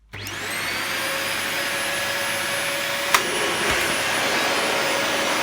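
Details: Dyson DC40 upright vacuum, restarted after a big gob of debris blocking the airway was removed: motor spins up quickly to a steady, even high whine with strong airflow hiss, no surging; running normally.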